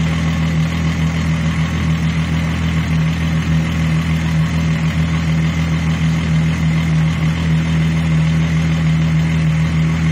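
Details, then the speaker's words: Mk3 VW VR6 with intermittent misfire, new spark plugs and leads fitted, owner suspects failing coil pack: steady, even idle for ten seconds with no stumbles or misfire at the moment. "There's new leads on here, and I am sure my coil pack is busy going. Well, idling smooth."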